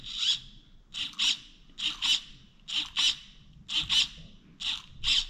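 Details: Upgraded 35 kg throttle servo (replacing 9 kg stock) on a nitro Traxxas Slayer Pro RC truck: short high-pitched buzzing whines in paired bursts about once a second, straining and bending the linkage; forward throttle endpoint set too far, being reduced from 90% toward 75%.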